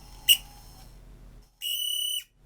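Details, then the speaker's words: Eufy RoboVac 11 roller brush motor, after freeing a motor stiff in places: brief click, then steady high-pitched squeal about half a second; motor squeal, probably a dry bearing. "Ooh, don't like the sound of that. Yeah, it's got a bit of a squeal on it now."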